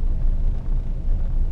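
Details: 1974 Valiant, first start since August 2020 after sitting frozen in cold weather, now warmed up after a hard start: low, even rumble with no misses, knocks or hunting; normal warm idle.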